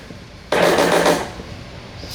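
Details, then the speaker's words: 2005 Yamaha Warrior 350 ATV, electric start only, first start attempt after restoration with fuel turned on: a short half-second burst of labored starter chatter then it stops dead without firing; weak cranking from a dead battery, later jumped with a jump box. "it don't sound good and it's electric start only ain't it yep do you want to just try to jumper for the solenoid try that"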